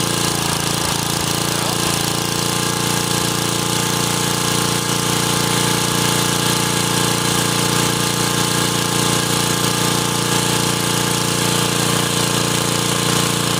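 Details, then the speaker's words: 1984 Troy-Bilt Horse 2412 rear tine tiller, Ocumpsa HH60 single-cylinder engine, sat for years and ran rough, after carburetor adjustment: holds a steady, even speed with no surging or stumbling; now runs smoothly. "What do you think? Sounds better. That's all it needed."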